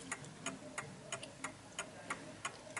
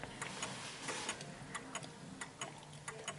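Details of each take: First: 1950s Smiths Enfield striking mechanical mantel clock set level and running in beat: crisp, evenly spaced pendulum ticks about three a second, ticking nicely before being tilted on an uneven surface. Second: 1950s Smiths Enfield striking mechanical mantle clock deliberately tilted on an uneven surface: lopsided tick-tock with the tick longer than the tock, out of beat, and it stops; fix is adjusting its centre of gravity.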